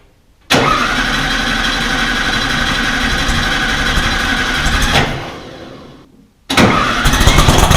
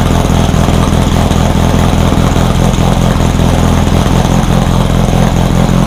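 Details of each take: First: Rebuilt VW 1600 in a Baja Bug, first start: catches after cranking, runs rough, dies near five seconds, relights; ignition timing was about 20 degrees too advanced, fixed by retarding it. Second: Rebuilt VW 1600 flat-four in a Baja Bug, first start after a two-year teardown, after retarding over-advanced timing: steady, even low putter at idle with no misses or knocks; it fired up and ran pretty good.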